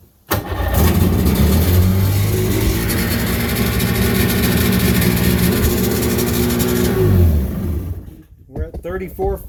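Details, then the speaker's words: 1996 Sea-Doo GTI with a freshly rebuilt two-stroke on its first fire-up, running out of the water. It settles into a steady, fairly fast buzzing idle a touch above where it should be; the target is about 3000 rpm out of water for about 1500 in water. Idle is slightly high. "so a little high"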